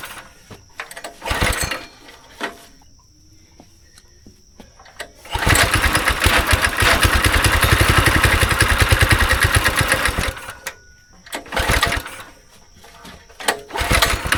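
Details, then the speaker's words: Go-kart engine idle about 3 years, choke on, carb cleaner primed: repeated pulls with brief pops, then seconds of lumpy uneven running before dying; bad gas remaining in the fuel system makes it run rough. "You got bad gas somewhere in your system."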